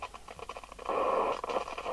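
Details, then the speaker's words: Irregular scratchy crackling and popping over hiss, louder rough patch midway, on an Amstrad CB900 UK FM CB radio (Cybernet 002F chassis) plugged into test gear at the start of service alignment; crackly audio, cause unknown. "That's a bit crackly, isn't it, before we start? Let's just deal with that."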